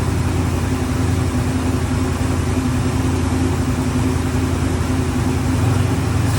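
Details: Ford Bronco running after 11+ years sitting, two hours of work, on very old gas: deep steady rumble at fast idle, even, no knocks or misses; normal running.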